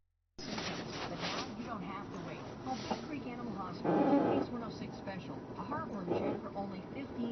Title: 2012 Hyundai Elantra, Groaning, Whining, Creaking noise when turning left.